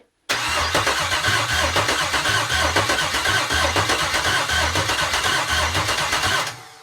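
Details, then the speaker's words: L86 6.2L Gen V V8 on the stand at first start, with a new harness and a ZL1 fuel pump module. Steady cranking at about four pulses a second for six seconds, never catching. No fuel pressure, air in the lines, and no gas in the tank yet. "so far no pressure keep cycling the key just keep cycling the key"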